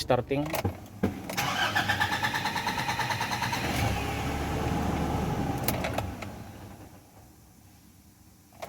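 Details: Nissan Navara NP300 D23 YD25 diesel with low power, engine light and codes P0628 and P1272: several seconds of rhythmic, labored cranking before it catches and settles to a rough idle; hard starting.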